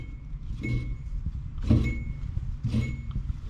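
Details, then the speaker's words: Goodman gas pack with heat not working, ignition failure, no prior maintenance: low motor rumble with a rough scraping surge about once a second; draft inducer motor is the problem and is failing. "hook up right here the fat draft motor is the problem we're probably not going to get that far to begin with"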